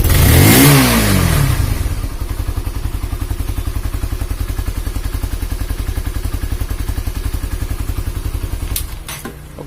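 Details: Honda CB150R after an engine rebuild for a leaking head compression that made radiator coolant spray out. After a brief blip it settles into a steady, even single-cylinder idle with regular firing pulses and no knocking; the engine sounds healthy.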